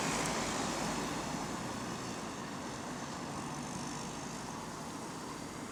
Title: Small Exhaust Leak | AL DW305 On Bus Route 194 (Spot + 3)